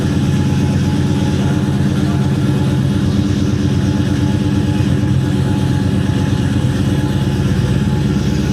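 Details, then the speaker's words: 1972 Chevrolet Chevelle, LS-swapped V8 with Whipple supercharger, on dyno with previous shop's base tune: revving with uneven stumbling pulse that won't pick up cleanly; lean misfire on acceleration from not enough fuel, snappy once retuned. "That was misfire. Yeah, it didn't sound good."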